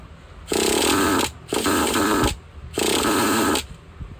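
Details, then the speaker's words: Used Traxxas Jato 2.5 nitro RC truck with two-speed, low-side needle set an eighth turn lean of flush, after priming: engine catches in three short bursts and dies between them on startup, won't keep running; needs more idle gap air or more low-side fuel. "so whenever they're doing that they either need more air on your idle Gap or they need a little more fuel on the low side"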